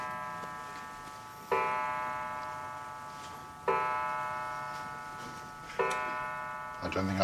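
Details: Restored 1940s clock, hand moved to 6:00: clean bell strikes about two seconds apart, each ringing out slowly, with faint ticking between them; the clock is striking properly.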